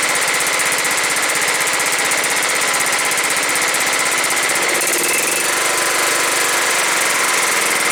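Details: John Deere STX38 lawn tractor, Kohler Command 13 hp single-cylinder engine, 38-inch deck, fixed after a no-run: on first start after reassembly it runs steadily, then settles into an even, smooth idle with no stumbling; normal idle.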